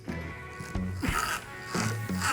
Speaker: you hear that squeaking that shouldn't happen there should be grease in there